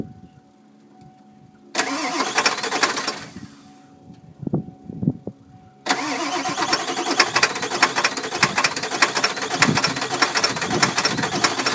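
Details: 1995 Ford F-250 Power Stroke diesel with a faulty glow plug relay, batteries run down and on the charger, ether sprayed and throttle held about half: a short crank, a pause, then about six seconds of uneven cranking that never fires.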